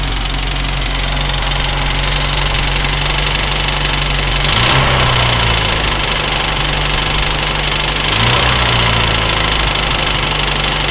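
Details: UZAM engine idling with a light, irregular knock of roughly four a second that grows louder on two brief throttle blips; unidentified engine knock.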